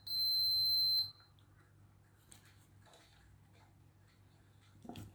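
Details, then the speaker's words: Makita 8400D 9.6V cordless hammer drill, continuity test on the push switch after cleaning its corroded contacts, positive to positive: one solid clean high beep about a second long, then quiet handling; good contact. "Positive, positive. That sounds good."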